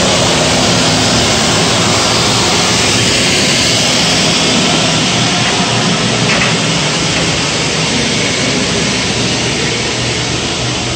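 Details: Gas power burner on one of two ganged steam boilers with new 24" Field barometric draft regulator, started on manual override. About 1.5-minute purge before low then high fire. Steady, even air roar, no surging, knocks or squeal; fan healthy through purge.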